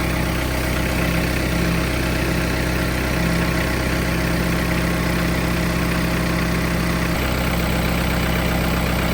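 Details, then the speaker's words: John Deere 4044M tractor diesel idling after an oil change with 5.4 quarts: steady, even clatter holding one low speed with no misses or knocks; normal idle. "So let's crank it up, let it run for a little bit, and then we'll check the oil level again."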